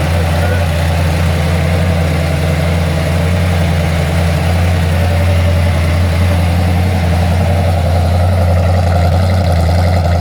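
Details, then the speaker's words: Ford XC Fairmont 351 V8 on a run stand with newly fitted Thermoquad carburetor, still on choke while warming up: steady slightly fast idle, even low rumble, no knocks or misses; normal cold idle. "still on choke at the moment but I just want to warm it up a bit so I get to change this over"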